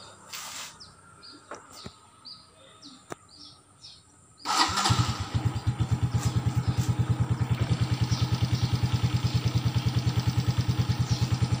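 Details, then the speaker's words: Suzuki Smash FI motorcycle after 3 years of use, standard 800 ml SGO oil: starter catches, engine settles into steady even low thump about three beats a second, no klotok knocking; smooth normal idle. "Bunyinya juga menurut saya masih halus ya, tidak ada masalah. Bunyinya masih halus, mesinnya tidak ada bunyi klotok-klotok."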